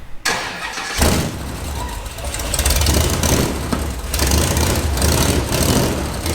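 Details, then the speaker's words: Build project after fixing missing chassis ground for the fuel pump: starter whirrs, engine fires and settles to a slightly lumpy, shaking but steady idle; starts and runs properly now. "i was sleeping that sounded amazing a little shook shaking a little bit"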